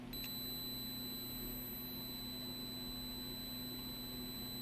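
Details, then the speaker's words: Completely dead Tandy TRS-80 Model 100 during troubleshooting: a logic probe on the data lines holds a steady high tone over faint hum. Data bus is active; the ROM executes partway (speaker pops on reset), so the machine is trying to work. "so then i grabbed my logic probe and i was checking some data bits like here it's working it's trying to work"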